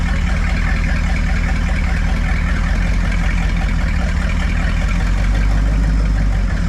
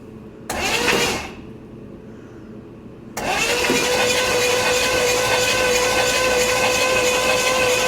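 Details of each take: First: Buick 455 big block (built to 461) in a 1971 Electra 225, never run before, idled down after 20-plus minute cam break-in: deep steady low rumble, no knocks or ticks; sounds settled and healthy. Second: Buick 455 big block (built to 461) in a 1971 Electra 225, first start attempt with a carburetor that sat outside all summer: brief crank, pause, then long starter drone that never catches; flooded, fuel ran down into the carburetor.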